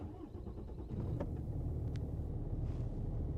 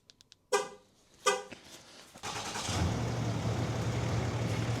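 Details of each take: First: Cummins diesel truck running rough on cold starts at -20 to -30°C, with a jumpy idle even when warm: catches after a brief crank into a lumpy, uneven rumble. Fuel filter replaced and the idle smoothed out. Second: Two short chirps, then a Cummins diesel pickup fires up and settles into a steady, smooth idle. It had been idling rough on cold starts at -20 to -30°C, and this is just after a fuel filter replacement.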